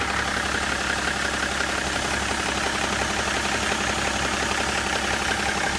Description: BMW E61 11/2004 535d - Knocking sound from the front of engine - seems to be most loud in the level of the intercooler - what can it be?